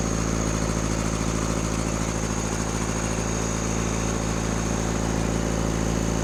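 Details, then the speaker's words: Rebuilt Cummins diesel in a Case 1840 skid steer at a steady raised speed, throttle propped. An uneven, lumpy beat sounds like cylinders not pulling: a misfire. In the balance test, loosening cylinders 1 and 2 changed little but lessened smoke; the owner suspects their injectors. "Sorry I didn't get that real great on that cylinder balance test, but what I gathered was when I had the throttle propped open, cylinder 1 and 2, so the front two up there, didn't really change it a whole lot as far as how the engine ran."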